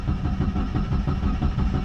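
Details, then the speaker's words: Mitsubishi Lancer cranking with engine light on: starter churns at a steady rhythm but never catches; crank-no-start caused by faulty camshaft position sensor, to be replaced. "देखिए, ये स्टार्ट नहीं होगा, ये क्योंकि इसका सेंसर ख़राब है।"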